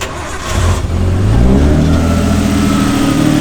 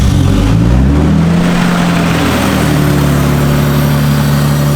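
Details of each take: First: R32 Skyline RB20 restarted after stalling, not yet warmed up: it fires, revs briefly, then settles to a smooth, steady idle with no misfire, its smoothest yet, though it died again afterward. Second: Barn-find R32 Skyline RB engine that won't rev past 4,000 RPM, intercooler disconnected, with a large vacuum line leak and cracked hoses: a quick blip, then a low idle that wavers and hunts; rough idle from vacuum leaks.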